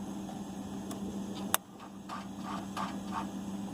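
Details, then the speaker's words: Damaged rear-gear-driven 6.7 Cummins, run without truck body or OEM Ford wiring, 12 V key-on power only, not running: quiet steady electrical buzz with light clicks, normal ECM key-on self-test. "You can see, you can hear the Cummins ECM going through its self-test."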